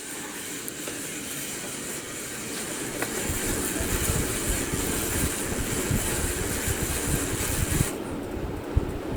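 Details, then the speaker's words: Bedroom ceiling fan running, motor making intermittent grinding that starts and stops: rough gritty rumble building then harsh top end dropping away; cause unknown, light switch also not working. "i'm going gonna clean this up it's making a weird grinding noise"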